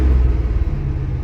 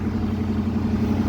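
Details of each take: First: One-owner 1979 Chevrolet Scottsdale 4x4, carbureted V8, engaging the clutch and starting to drive: deep, steady rumble stuck at a raised idle that never drops back, because the choke isn't coming off. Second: One-owner 1979 Chevrolet Scottsdale 4x4, V8 on old gas with a battery charger connected, just started after sitting: steady, even V8 idle with a smooth low burble, no ticks, knocks or stumbles; sounds healthy.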